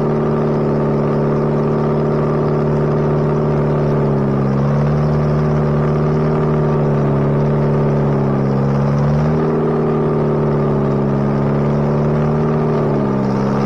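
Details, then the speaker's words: Bobcat 642B skid steer after head gasket replacement, working: even, smooth drone dipping and recovering as load comes on and off, no knock or miss; runs pretty good now. Normal running under load. "it runs now runs pretty good so if it ever stops raining i'll take it out and do some work with it"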